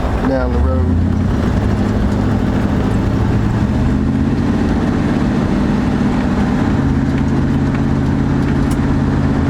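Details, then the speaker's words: Restored Chevy Impala (1963 or 1964) on its first drive after sitting about four years, mufflers possibly Cherry Bombs or Turbo mufflers: smooth, even low drone at cruise with no misfire or rattle; exhaust healthy and mellow, normal cruising. "sounds good too with those i i don't know if those are cherry bombs or turbo muffs but uh they sound they sound real good just a quiet ride"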